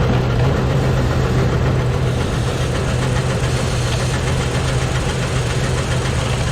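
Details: Engine after valve cover removal, some valves found dry and sprayed with penetrant, all moving; loud rough idle with deep uneven knocking, not a light valve tick, owner thinks internal, maybe the cam; unconfirmed.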